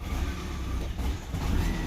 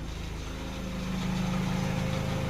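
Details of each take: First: 2012 Peugeot 208 1.4 VTi with hard starting and stalling, no codes: exhaust camshaft dephaser disconnected and adaptations not yet relearned, giving an uneven, sagging idle that dips and wavers over a low rumble. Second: 2012 Peugeot 208 1.4 VTi after repair and adaptive relearn, bonnet closed, warming up toward 90°C: quiet, smooth, even idle with a steady low hum, no stumbles or misses, running beautifully.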